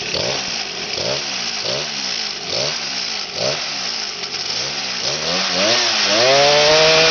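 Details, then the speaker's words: X7 midbike with stock 49cc two-stroke weedeater-style motor on a stand, throttle blipped about once a second, climbing cleanly to a steady high scream; out-of-true rear wheel causes vibration at higher revs; healthy running. "It could rev up higher than that, but unfortunately the back wheel is so out of bounds that it causes bike to vibrate and it wants to kick itself off the stand that I got it on."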